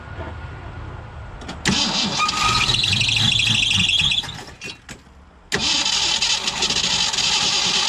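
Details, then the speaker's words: 1965 Ford Mustang 289 V8 first start after camshaft replacement: cranks and catches, then a high chirping squeal for a couple of seconds before settling; drive belt likely slipping, owner suspects tape he applied, belt seems tight. "i know the belt was kind of squealing there seems tight maybe it's because of that damn tape i put on there"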